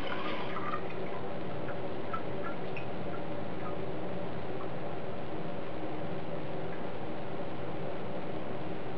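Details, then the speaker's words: Toilet tank refilling after replacing the supply shut-off valve and fill valve to cure pipe water hammer: even hiss of filling water with no knocking or thumping in the pipes; normal refill, no water hammer. "Alright, no water hammer."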